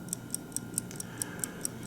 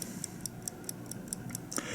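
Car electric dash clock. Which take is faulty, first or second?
first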